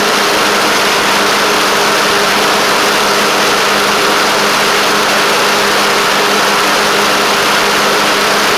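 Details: Craftsman LT1000 riding mower with Briggs Intek engine at a steady, even mid-pitched idle with no misses, knocks or surging; it runs well and shifts great. A deck belt fell off and a double-stack pulley is suspected bent.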